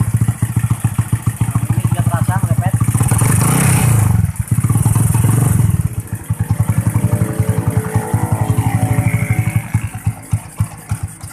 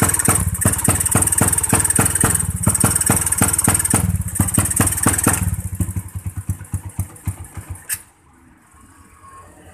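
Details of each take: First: New Tech motorcycle with DC ignition that stumbled and would not rev, after connecting a battery: steady single-cylinder idle, then clean quick blips climbing and falling smoothly with no misfire; ignition now running properly. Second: New Tech motorcycle with abnormal ignition, first throttle won't rev: rough, uneven stuttering firing that fades and dies; ignition suspected, to check pulser, CDI and coil.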